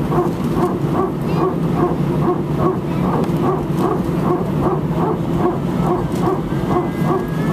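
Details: Air France Airbus A319, flight AF2487 Sofia to Paris, recorded from cabin seat 18F: steady cabin rumble with a bark-like burst repeating about once a second throughout the taxi; very strange repetitive barking noise, cause not identified.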